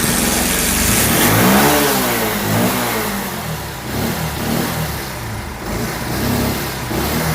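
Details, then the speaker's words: Bajaj Pulsar 150 BS6 showing O2 sensor and T-MAP sensor codes, with starting trouble and stalling on throttle; after clearing errors the light went out but the engine runs uneven and sputtering and won't accelerate; misfire and bogging. "చూడండి light అయితే పోయింది కానీ బండిలో బురుబురు అట్లా అయితుంది చూడండి. యక్సిలరేటర్ అయితే పడతలేదు చూడండి."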